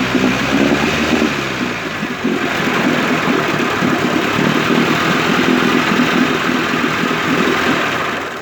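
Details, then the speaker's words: 1958 Evinrude 18HP Fastwin two-stroke outboard, rebuilt with replacement powerhead, new rings, bearings and NGK B6S plugs, on oil mix, smoking. Steady buzzing note at even speed for several seconds, no stumbles or knocks: normal running. "By the way, if nothing else, these motors would make great mosquito killers with the oil and the smoke."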